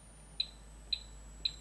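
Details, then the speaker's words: LTC3105 energy harvesting step-up converter evaluation board at low input voltage; sharp high chirps about every half second over a faint whistle from the inductor mechanically shaking as it charges and discharges. Normal boost converter inductor noise. "That's the sound from the inductor being charged and discharged, which mechanically actually shakes the inductor, and you can hear that sound. That's from the boost converter."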